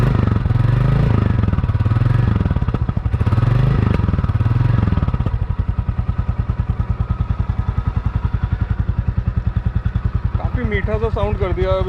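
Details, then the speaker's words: New 2024 Royal Enfield Classic 350 Stealth Black: steady, even single-cylinder thump about three and a half beats a second after start-up; healthy idle with no heavy noise or hum. "अब यह है पहले जैसा अति गंभीर कोई आवाज नहीं। पहले जैसे साइकिल पर गंभीर शब्द या गुनगुनाहट सुनाई दे रही थी।"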